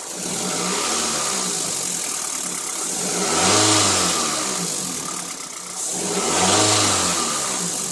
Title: engine ticking sound. Injector or lifter?